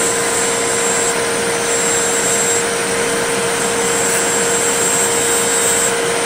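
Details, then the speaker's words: Riccar 8850 vacuum motor after front and rear bearing repack and commutator cleaning, previously sudden bad-bearing noise: smooth steady high hum spinning up with no scraping or rattle; normal motor run. "very very delicate touch with this don't jam it in there and yep it's sounding a lot better"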